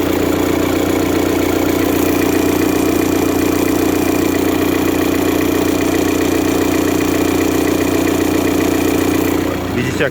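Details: VW Passat B6 engine idling: loud rough drone and steady pulsing vibration from a failing alternator overrunning clutch pulley.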